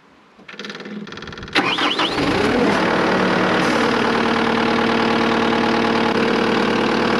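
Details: Diesel skid steer first start after fuel filter change for water in fuel tank: short crank, catches quickly, settles into steady even idle with no stumbling or misfire; no leaks.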